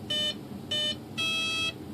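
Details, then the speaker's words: Hobbyking Sunbird 1.6m glider with replacement ESC, motor wires swapped, throttle cut on, sticks down at power-up: two short high beeps then one longer tone, no second beep series, so the ESC arms with brake enabled. "notice it didn't do the bbbbb that's second beep indicates that the brakes not on okay so the brake is currently on"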